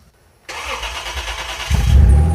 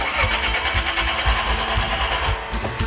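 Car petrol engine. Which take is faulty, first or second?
second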